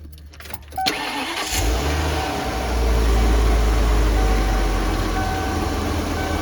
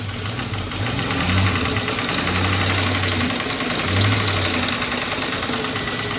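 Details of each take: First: After replacing the failing cylinder-one ignition coil: starter cranks briefly, engine catches cleanly and settles to a steady, even idle with no misfire stumble; running healthy. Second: Salvage-title Mustang with the MAF sensor unplugged: it idles low and uneven, the beat sagging and surging, about to stall, when a high idle was expected. Idle recovers once the sensor signal returns; desired idle is 800 rpm.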